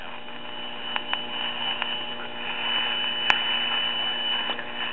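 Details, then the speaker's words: 1960 Arvin twin-speaker AM tube radio with volume at maximum: steady mains hum with faint hiss and crackle and barely any station, traced to a faulty IF transformer. "as you can hear it's not nearly what it should be okay what's happening is it power up it's coming in strong and then after about five seconds it fades out to nothing"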